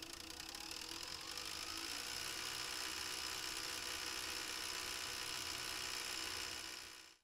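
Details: Philips DCC 951/730 third-generation recorder during wind after replacing the cracked reel motor gear that caused rattling: a steady high whir and faint soft ticking, with no rattle.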